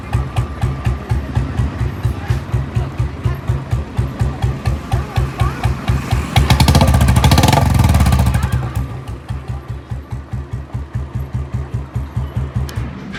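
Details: Royal Enfield UCE single-cylinder after engine overhaul: even steady thump about two beats a second, swelling briefly on a throttle blip; runs smooth and healthy, music overlaid.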